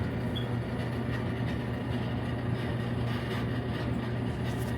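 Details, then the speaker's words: Dryer after repair with a $30 kit, lint cleaned out, first start after reassembly: even low drum hum, steady with no thumps, squeals or scraping; runs normally and much quieter than before the fix. "I think it's good. I didn't record the noise it was making before, but uh it definitely sounds good now compared to to how it was sounding."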